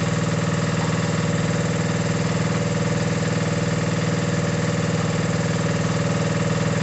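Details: Mini digger diesel, previously not starting (lazy starter motor suspected), gives a steady, very even chug of about two beats a second with no knocking; normal running.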